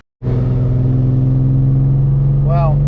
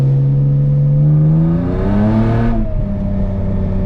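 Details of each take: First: BMW E36 318ti on a test drive after a steering rack swap: low drone with a lumpy, stumbling pulse, a misfire that persisted after clearing codes; owner suspects a coil pack and plans to replace it. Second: BMW E36 318ti on a test drive after the steering rack was replaced and the engine cover refitted to stop water entering cylinders 4–6, which had caused misfire codes. Engine pulls smoothly and drones evenly with no stumble; misfires are gone.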